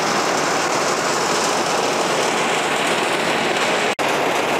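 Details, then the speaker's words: Outdoor AC condenser unit whose fan had not turned and only hummed, suspected run capacitor, started up after repair: even, constant rush of fan air over a steady compressor hum, no rattles or buzzing; the fan spins and the unit runs normally. "Come on, and there it is folks, there is your lovely fan spinning around beautifully doing it's job."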